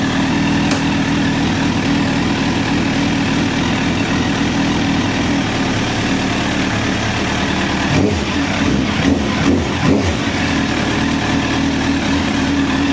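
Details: 2009 Honda CBR1000RR Fireblade four-cylinder at 61,211 km, started with a jump pack: catches and settles into steady busy idle with a few sharp blips; runs clean.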